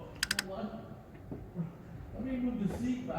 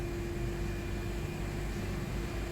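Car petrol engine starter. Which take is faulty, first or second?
first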